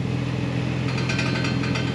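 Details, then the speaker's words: Jeep at low idle with light, uneven metallic taps over the rumble, a loose rattle in the exhaust that began after the Send Fest at Pat's; owner suspects a heat shield or exhaust clamp, not confirmed. "Ever since we went to Pat's for that Send Fest, it's been making that noise. So if you guys have any insight, let me know. My guess is either heat shield or exhaust clamp. It's something to do with exhaust, but yeah."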